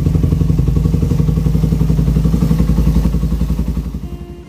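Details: 2008 Suzuki Satria FU150 after a carburettor rebuild with a 17.5 pilot jet (standard 12.5) for its racing exhaust: crisp, even firing pulses with revs held, then easing down smoothly; the carburettor is set right.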